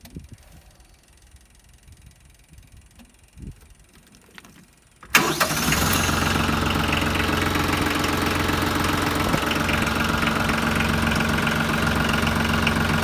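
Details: Branson 3520h tractor diesel after a valve adjustment to cure valve tapping/slapping. It cranks, catches and settles into a steady, even idle with no tapping from the valve train; fixed.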